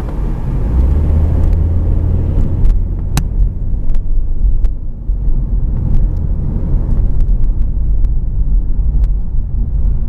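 Deep steady hum and rumble while driving, mostly low droning with faint road ticks; sounds like a worn wheel bearing.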